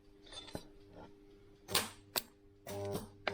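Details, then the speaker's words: Starter motor for Mk3 Ford Cortina 2.0 Pinto, bench-tested, supposedly new old stock but previously fitted; sharp clicks and short buzzing bursts with no spin-up; locked solid, seized. "and then this should turn on this nut especially if you go across but you shouldn't need to no that's not right this sounds like it's seized this doesn't sound"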